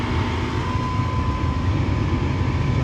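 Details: Gas furnace with intermittent heating, restarted during diagnosis of pressure switch and flame sensor, board clicking: draft inducer spins up with steady even fan drone and faint hum, no rattle or wobble; normal.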